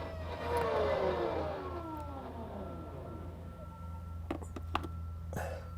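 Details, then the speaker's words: SaltDogg Pro Series salt spreader gear motor powered directly during troubleshooting: a quiet, even low hum holding steady with no grinding or rattling; the motor is running healthy. "As you can hear, everything sounds good. There's no grinding or anything. So, it sounds like the motor is running well."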